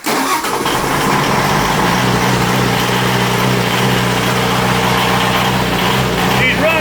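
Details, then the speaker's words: Onan DJC diesel generator, stone cold after one to two months unused, about 55°F, brief glow plug preheat: quick crank catches almost at once and settles to a steady even run with no misses; healthy cold start. "I was really surprised that the DJC started so quickly after hitting those buttons."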